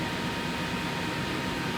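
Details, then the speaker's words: Rolls-Royce idling: the ticking from its two suspension hydraulic pumps stops once full pressure is reached, leaving a steady even hum; owner says it is not the engine, lifters or a valve. "right it went away as soon as it gets the pressure okay it's not the engine it's not the lifters it's not a valve okay the hydraulic pumps of these cars the car runs"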